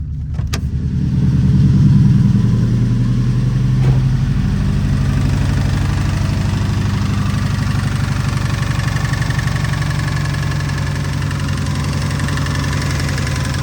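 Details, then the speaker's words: Subaru STI first startup; starts and idles with a steady deep knock about four per second, seemingly from the middle of the engine; early connecting rod bearing failure suspected, though a belt tensioner was also suggested afterward. "Well, yeah, this was hoping I would have this sucker started, but based off of what I found, early onset connecting rod bearings going out. It literally sounds like it's down the middle."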